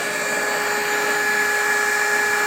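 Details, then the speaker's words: Rebuilt KICE waterfall aspirator fan on single-phase 110 V running with smooth steady hum of constant pitch, no knocks, rattles or irregular noises; sounds healthy. "the footer is humming right along there are no irregular noises again this is powered by single phase 110."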